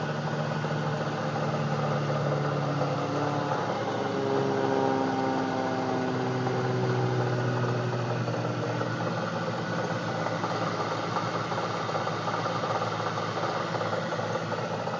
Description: This is my 1999 camaro ss that is making a weird noise.